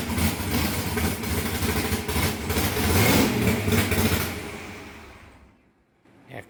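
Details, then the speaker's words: Bullock Camaro drag car V8, first start after about 8 years sitting, primed, oil pressure checked, no leaks: deep, lumpy rumble holds a steady idle for several seconds before fading; normal idle. "8 YEARS, THE BEAST IS AWAKENED. RIGHT, LARRY? >> You got her going. >> Uh, it sounds good."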